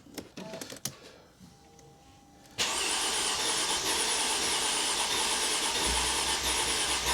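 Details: 2005 Mercedes SLK350: a few clicks then steady starter whir several seconds, never fires; fuel pressure later measured about 48 psi (3.12 bar); cause unresolved.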